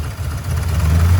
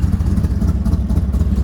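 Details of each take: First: Ford F100 truck with a 98 Explorer 5.0 V8 at idle on a manual fuel pump up to 8 psi, owner thinks it needs only 5.5; deep, uneven lumpy idle wavering in loudness, settles with throttle. Rough idle. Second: Ford F100 rat rod truck at idle after tuning, fuel pressure checked; deep, steady low rumble with even pulse about two beats a second, no clatter, settling out. Normal idle.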